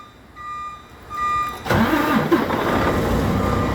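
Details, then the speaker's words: Freightliner Cascadia truck with an intermittent no-start: brief starter whirr, then the diesel catches cleanly into a steady, even run; normal cranking and start, no fault reproduced. "Now it's the third time in a row that this truck is started, but I've been doing this all morning, ladies and gentlemen."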